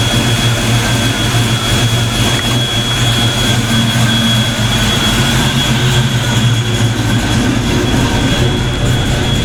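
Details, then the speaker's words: Ford Mustang V8, first fire after fitting 24 lb injectors, warming up: loud steady deep rumble with an even note and no knocks, misses or ticks; running cleanly. "that sounds damn good i'm getting excited i think i did something right"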